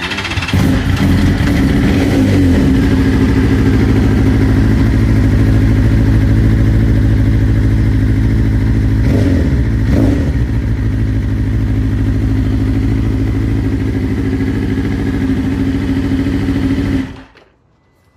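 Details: 2022 BMW S1000RR at 28k miles, tuned: uneven, lumpy running with a stumbling beat, one cylinder not firing, then switched off; dealer blamed a bad ECU.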